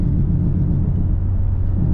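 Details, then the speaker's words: 2005 Pontiac GTO under way: a steady low droning roar that goes quiet when turning left; the owner suspects the right-side wheel bearing (the left one was already replaced). Worn wheel bearing roar. "see it gets quiet when i turn that's the wheel bearing see if I go left right if I turn left it gets quiet"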